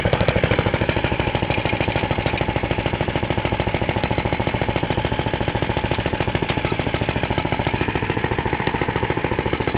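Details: Half-restored 1954 reel mower: repainted Briggs & Stratton 6S, 1.6hp, non-original shroud, pull start removed, homemade throttle valve; plus 1984 Montgomery Ward B&S 3.5hp TMO-37425A. Even, steady single-cylinder popping at constant speed, no misses, knocks or hunting; normal running.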